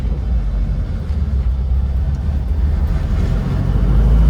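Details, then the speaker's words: 1966 VW Type 2 11-window bus after transmission repair, warmed up, road test pulling hard in second gear: steady low drone with no whine, howl or grinding over engine rumble; earlier noise gone, gearbox sounds healthy. "second gear there you go uh and it sounds sounds really healthy"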